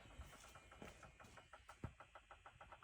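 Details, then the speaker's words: Ferrari 360 with dead battery after weeks off tender, trickle charger just connected: quiet regular clicking speeding from about four to six per second; owner hopes it is just charging, fob and immobilizer unresponsive. "the battery died I think so I put my trickle charge into it I connected that and it's doing this weird"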